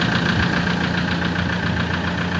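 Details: 2004 Toyota Tiger D4D common-rail diesel pickup, started easily and idling: steady, even clatter with a smooth regular beat; engine tight and healthy, normal idle.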